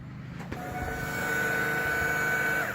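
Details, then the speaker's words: 2002 Yukon Denali after a new fuel pump was installed and rewired: quick crank catches into a smooth, steady hum with an even light whine; normal fuel pump operation. "a good feel pump right there that's what you guys want"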